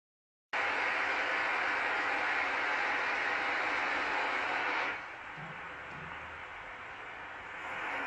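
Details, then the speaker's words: Ultrasound check on a valve in a leaking-radiator demo: steady rushing hiss of flow through the open valve drops abruptly to a faint flat hush as it is closed; flat signal shows it shut. "j'ai démarré ma mesure j'ai ensuite fermer la vanne le signal était plat elle s'est refermée magnifique"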